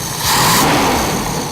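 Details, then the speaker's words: Toyota truck after carburetor installed, mixture not yet adjusted (set as lean as possible); quick single rev climbing smoothly and dropping back without bogging or dying, much better than before; normal revving. "That sounds way better than before, dude. Yeah, it does. And it actually revs up."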